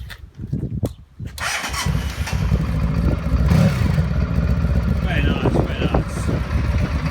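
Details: 1995 Honda Pan European ST1100 motorcycle with new timing belt; a few quiet clicks, then engine catches cleanly and settles into smooth steady idle with no knocks: normal start and idle.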